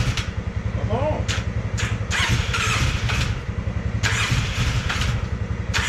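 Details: Polaris Sportsman 600 ATV with almost no compression: quick, soft, even cranking beats with almost no resistance and a few weak catches that never hold; it almost runs.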